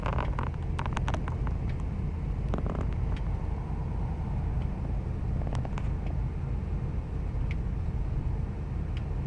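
Low steady V8 idle with an uneven, lumpy beat underneath and some ticking on top; rough idle, cause not yet pinned down. Cause suspected, not confirmed.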